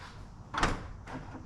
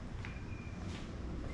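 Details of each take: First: 2006 Acura TL after installing a new trunk lock latch actuator, release button pressed inside car: one sharp clunk as latch lets go, then lighter thud as lid lifts; trunk release now works normally. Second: 2006 Acura TL trunk release pressed about five times: faint clicks under a second apart with no release thunk; trunk will not open, indicating a bad trunk lock latch actuator.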